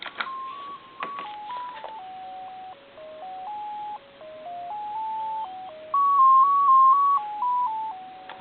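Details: German telephone converted for home use, with a button rewired as music on hold: after dial tone and dialing 2, the button plays a clean electronic melody of steady single-note beeps stepping through a simple tune, with no crackle.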